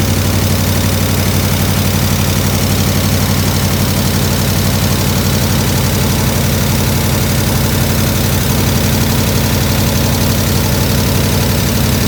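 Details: 1967 IH Loadstar 1600 shop truck during an overhaul, just started: a steady low V8 idle with an even throb and slight unevenness, no hiss or knock. A little tapping was noted, possibly from the exhaust.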